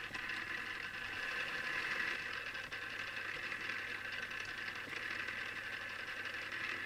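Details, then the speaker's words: Newly assembled Tamiya Display Turntable (black), on its first test spin: constant buzzy high-pitched whir with gritty chatter from the plastic gear train; the owner dislikes the gear noise and may fix it. "I must admit I'm not really into the sound made by the gears but either I'll get used to this or I'll fix it somehow"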